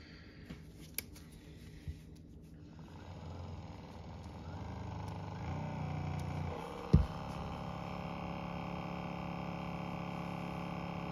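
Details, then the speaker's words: Sharper Image massage gun runs at a steady, smooth hum with a faint mechanical knock and no squeak, after a little talcum powder was sprinkled into the top vent and blown in, without disassembly. "well that sure seem to work H okay no more squeak pretty easy"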